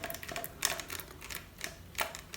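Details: Panasonic Lumix GH5 body, lens off and battery removed, shaken by hand. Light dry clicking rattle inside each shake; owner suspects the unpowered floating stabilized sensor moving, possibly normal, not confirmed.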